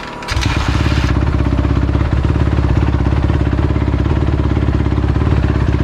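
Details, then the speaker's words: 2016 Honda CRF250R first start after full top-end rebuild (piston, valve guides, timing chain) for oil burning and top-end ticking from stretched cam chain; steady even single-cylinder idle, crisp firing, no ticking, no smoke: normal idle. "okay okay so you guys just saw me start up my crf it started up really nice and it is not burning any smoke anymore which is a really good thing the bike sounds amazing compared to how it sounded before"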